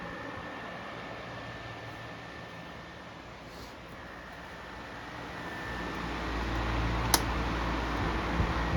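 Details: Toastmaster 16-inch DeLuxe oscillating table fan running on medium: soft, steady whir with a faint constant tone and even airflow, no rattle or bearing growl; bearings spin freely, smooth normal running.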